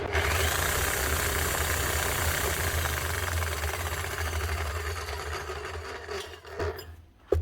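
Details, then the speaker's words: Old ex-hire electric hammer drill, bottom bearing previously replaced: rough, uneven rattling hammer blows about four a second, then it winds down; a worn armature top and crank gear are suspected. "if you cap going now and kept looking you'll probably find that top of the Armature and that crank gear are badly worn wor n like I say she's an old X hire machine so she's done a lot of work"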